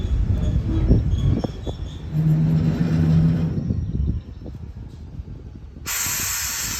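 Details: Chicago and North Western #6847 locomotive: deep diesel rumble with uneven clanks, then drops away as a sharp air hiss cuts in; crew repeatedly failed to get it moving, engine failure, train later reversed back into depot.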